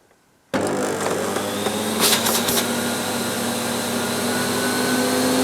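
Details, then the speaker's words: 1998 Hoover Alpina SC211 cylinder vacuum cleaner, sold as 'The Power of Silence': motor starts abruptly and settles into a steady, even high-pitched roar with no surging or rattles; healthy but loud. "these were sold under the tagline of the power of Silence certainly not they certainly weren't silent"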